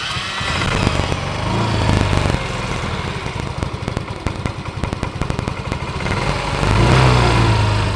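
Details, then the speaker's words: Yamaha Mio M3 scooter, previously rough with a sewing-machine-like clatter from friction, after the repair and reassembly including the throttle body bolts: even, steady putter with a smooth rev rise and fall and no rattle. Normal running. "hi , it's already quiet, guys, the voice was very rough, now it's smooth"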